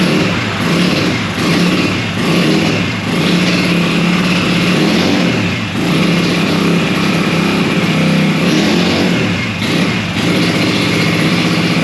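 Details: 1965 Montgomery Ward Benelli 125 spun on a homemade starter roller: steady drone with slow surges, engine turns over but never catches or starts.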